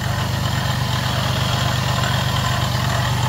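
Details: 2009 Jeep Grand Cherokee 3.7 L at idle: steady low idle with a rough gritty growl underneath that doesn't change; worn water pump bearing with play in the pulley, though the owner had been told it needed an alternator.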